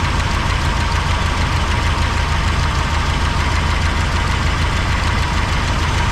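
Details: 1985 GMC C25, engine running with valve cover off during valve check: rough idle with a light, uneven ticking about once a second on one side; suspected loose valve lash, not confirmed; valve train ticking.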